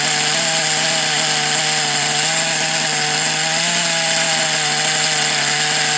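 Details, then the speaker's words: Kyosho DBX 2.0 GXR .18 nitro engine holding a steady high buzz under a harsh, gritty rasp, a bad bearing somewhere in it, before a strip-down. "so there's 100% bad bear in there somewhere I mean you can hear it it sounds terrible"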